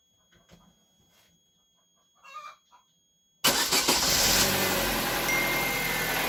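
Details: Chevrolet Aveo F14D4 engine, cold start after overnight, after replacing oil pressure relief valve feeding cam phasers: starter whirs, engine catches into smooth fast cold idle with no startup rattle; phasers quiet.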